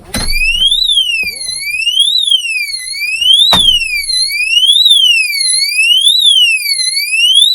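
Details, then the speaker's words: Oxford Screamer seat anti-theft alarm in a motorhome, fitted into the seat and armed within 15 seconds; turning the seat triggers a loud, piercing siren sweeping up and down about every 1.5 seconds, working properly. "chair and that's what happens it goes off scares the living daylights out to them lets everybody around you hear it and it's all good"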